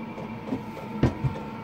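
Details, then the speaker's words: Shed diesel heater on battery power, turned up to high once ignited: quiet steady fan hum, faint high whine, occasional soft clicks; burning evenly, higher power only slightly increasing battery draw. "no so turning the power up it would appear once it's ignited has a little effect on the power draw"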